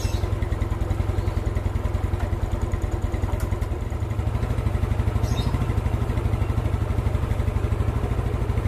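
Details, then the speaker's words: Old Yamaha Mio scooter after valve clearance set slightly loose to cure hard starting: steady, even putter at a fast idle, about two beats a second, holding speed without stumbling; carburettor still to be tuned. "Oke, akhirnya nyerah juga nih motor ya. Akhirnya motor itu nyala dan tinggal setting karbu."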